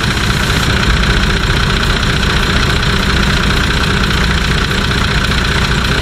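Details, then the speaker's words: Nissan Patrol TD42 diesel idling after fitting a new UFI fan and clutch kit (previously overheating to 115° towing): steady diesel clatter with strong even fan whoosh, no rubbing after fixing a tab that hit the fan; moves more air. "can hear the fan hum sounds a lot better than the old one it sounds like it's actually moving a lot more air"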